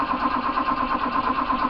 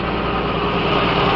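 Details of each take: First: Restored 1968 Australian-built Toyota Crown MS55 with automatic choke; starter cranks steadily with a pause but engine won't fire after stalling, fuel gauge on empty, indicating it ran out of fuel. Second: Restored 1968 Australian-built Toyota Crown MS55 with automatic bimetal choke, idling: steady even hum with no vibration, normal smooth idle, before stalling.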